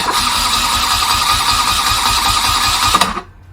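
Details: 1979 BMW R80/7 after replacing burnt-out starter motor, fresh oil: strong even cranking about three seconds, clean motor whine, no grinding or slipping; oil pressure achieved, starter healthy.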